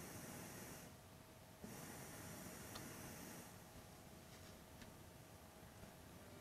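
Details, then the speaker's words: Angels Horn H019 all-in-one record player's built-in speakers. A soft hiss comes in around mid volume while the volume dial is turned, then drops again at maximum volume. "I also noticed a weird hissing issue at certain volumes listen to this clip as I turn the volume dial you can hear how the hiss comes in at Mid volume and then bizarrely drops again as you increase to the maximum volume"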